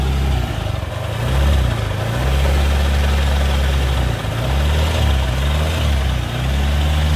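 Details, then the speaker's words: Suzuki Nex scooter: smooth at idle, but a deep rough growl (ngorok) from the CVT area as the throttle opens. The cause was found to be worn CVT and final drive bearings. "nah seperti itu suaranya jadi suaranya itu seperti itu ngorok pokoknya ketika posisi gas ditarik tapi posisi langsam itu mesin halus"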